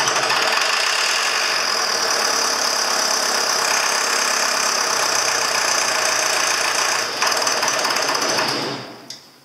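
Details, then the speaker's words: Diesel in the 6200, not run for three years, started on starting fluid after injection pump work; harsh, rough clatter that sounds strained and tight for several seconds, spitting carbon, then loosening up; cause unconfirmed. "well that sounds funny what do something hit me in the face carbon okay oh but it sounds like it's tight for some reason didn't it sound like it was tightening up"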